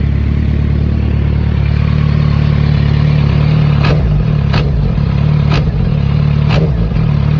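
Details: Clacking/knocking noise on a 2006 Suzuki GSX-R600, heard only when the throttle is blipped; steady idle broken by four sharp metallic clacks in about three seconds, source unclear.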